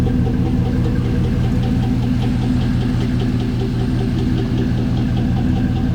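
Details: Chevrolet Trailblazer SS V8 at idle with a deep, steady, regular knock over the low rumble after it threw a rod; rod knock.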